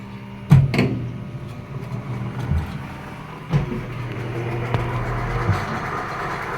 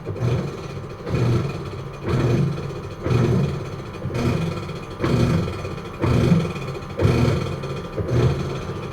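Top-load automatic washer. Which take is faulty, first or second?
second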